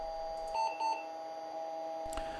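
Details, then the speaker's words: 1988 Compaq DeskPro 386s with Conner type 43 40MB hard drive at power-on: steady high tone with short repeating beeps and no seek chatter; drive not spinning up and not detected, cause unknown. "you can hear that it's not really actually starting up as it should be it doesn't perform a seek it's just this you know repetitive tone that you hear indicating that something is definitely up here"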